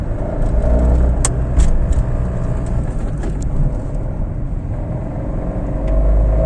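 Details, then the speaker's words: Fiat Panda III 0.9 TwinAir Natural Power road test after replacing the left (gearbox-side) engine mount for low-rpm vibration and a clunk when lifting off at higher rpm: even engine drone and road rumble, no thumps or clunks; problem solved. "bene come avete potuto notare Problema risolto"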